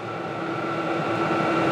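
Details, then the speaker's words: Vevor portable diesel heater on max heat full blast, nozzle about 184°F: steady whooshing roar with constant fan hum slowly building; running evenly at full heat. "as in 184 degrees so yeah that's quite hot but I also have this unit on Max heat full blast"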